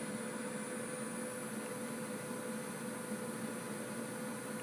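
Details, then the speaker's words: Dell OptiPlex 760 power supply, a first revision unit, plugged in with no load: thin steady high-pitched coil whine squeal over a low hum, less than under load; owner suspects bad capacitors, none seen, supply replaced. "And yep, I can still hear it squealing. It's not squealing as bad because it's not under any sort of load,"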